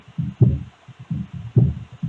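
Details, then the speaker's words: Speaker box after repair of a strange noise, playing deep bass thumps cleanly with no buzzing or cabinet rattle; the loud banging noise is gone and no longer needs holding to stop; normal speaker playback. "já dá para ver que aquele barulhão que tava fazendo não tá mais"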